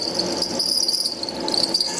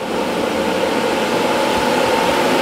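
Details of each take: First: HSD electric spindle cooling fan on a CNC router, heard from above: a thin, wavering high-pitched squeak over the fan's hiss that comes and goes; the fan later stopped completely and was replaced. Dry bearing suspected. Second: Replacement HSD electric spindle cooling fan on a CNC machine, replacing the noisy original: smooth, steady airy whoosh with constant mid-pitch hum, no squeak or flutter; new fan running normally.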